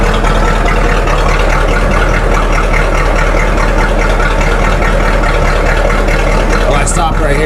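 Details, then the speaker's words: 1985 Chevy K10 Silverado V8 with a 650 Edelbrock carb and electric choke, exhaust dumping under the cab: after the idle screw is adjusted, a loud, even rumble at a settled idle replaces the earlier howling; idle now normal. "I got that idle adjustment on the pedal set where I think I want it. It sounds a lot better than it did. It's not screaming at me."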